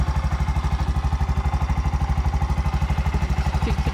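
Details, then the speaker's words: Bajaj BS6 single-cylinder with about 2 lakh km, after timing chain work, running on CNG: steady idle with a light chik-chik tick identified as injector sound, which stops on petrol, not mechanical. "ಚಿಕ್ ಅಂತ ಇರೋದು injector sound"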